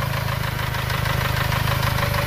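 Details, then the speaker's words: 2.3–2.5 Ford Ranger after sticky-lifter repair: light, quick ticking following idle speed over a steady idle, much quieter than before, on the driver side near the injectors; owner suspects a noisy injector, not confirmed. "the driver side this is where the objectors are a little ticket that we're hearing now so it could be a noisy injector"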